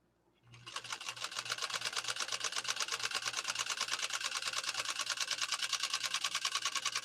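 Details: PFAFF 130-6 sewing machine sewing its final embroidery-kit decorative stitch, music paused: quick, even needle clatter around three stitches a second, with no knocks or binding. A sweet-running machine.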